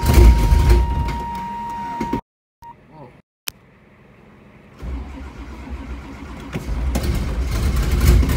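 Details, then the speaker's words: 1985 Camaro Z28, cold start attempt on weak jumper cables and smart charger: starter grinds on unevenly and laboriously for too long, engine never catches; long crank no start, starter also sounding worn. "way too long. God, that sounds bad. It just does not want it."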